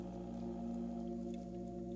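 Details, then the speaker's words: Fractal Define R5 water-cooled workstation after replacing a faulty pump: soft, steady low hum with faint even tones and no whine, both pumps now equally quiet, air still in the loop; healthy. "it is definitely quieter both pumps are now exactly the same volume and there's still air in the loop so it's going to get a lot quieter once all of that air is out"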